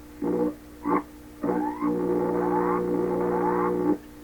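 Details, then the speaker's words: 1928 RCA Victor Model 28V radio with added true ground to water pipe: loud low buzzing hum with whistling tones sweeping as dial turns; hums whenever stations are tuned in, some steady power supply hum suspected. "The radio hums a lot when you tune stuff in. When you tune stuff in. When you tune in stuff, it hums."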